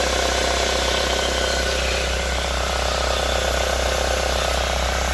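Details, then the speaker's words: 2005 Chevrolet Corsa 1.6 8v at idle: fast loose rattle about four times a second only while the clutch pedal is pressed, gone when released; suspected from flywheel or crankshaft, not confirmed. "Parece que vem do volante do motor ou do vira."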